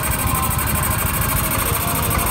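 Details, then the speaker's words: Yamaha Mio 125 scooter after repair, idling even and steady with no stumbling; earlier misfire and error code 15 (TPS) were caused by a corroded green TPS signal/ground wire. "oke menjadi motornya udah kembali normal Ya udah kembali normal"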